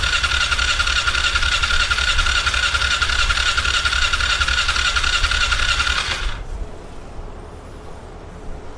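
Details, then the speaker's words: 1997 Polaris Sportsman 500 ATV that wouldn't run, after long troubleshooting, push-button start: the starter cranks in an even chug about three and a half times a second for six seconds with a squeal, not firing. Hard start. "well I don't know what it's called when wherever you're from but here that's called what the hell let's keep trying oh here we go"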